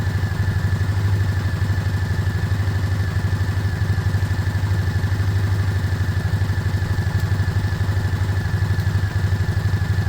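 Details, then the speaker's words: Single-cylinder motorcycle, warming up: even, steady low thump at about three beats per second, no knocks or misses. Normal idle. "he it sounds good it sounds good I'm going to start wrapping up around it warming up"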